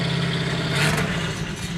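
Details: 1971 Datsun 240Z "Rotsun" turbo car, started after work on the oil leak and turbo smoking; oil pressure is present. Steady, even engine note with one quick throttle blip and no knocks or rattles, though wet oil still comes up out of the pipe.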